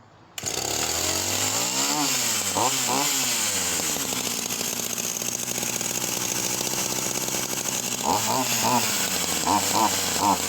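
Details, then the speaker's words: Vintage Husqvarna 44 chainsaw, un-seized and fitted with a gasket kit, with the high-end needle out slightly, revs sag with nothing on top and it runs lean; owner suspects it needs a replacement carburetor. "So you can hear her there, and she's running completely lean and nothing on the top end once the high end needle coming out slightly."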